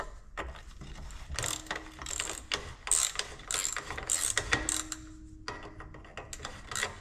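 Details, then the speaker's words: Detroit Diesel 2-53 DW-LS double-weight governor core, left outdoors for decades; hand-turned gear train gives gritty, uneven ratcheting clicks and scrapes, bearings seized or shot, whole governor needs rebuilding. "so this whole Governor needs to be rebuilt uh bearings are probably all shot"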